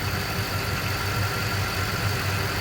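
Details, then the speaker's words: Ford F-250 Super Duty 6.2 V8 after repair of a valve problem causing multiple-cylinder misfire: steady even low idle rumble, no stumble or skipped beats, smooth and settled; normal idle. "Ahí quedó, mi raza, fierro. Esto más serenita, mi raza. Al puro 100."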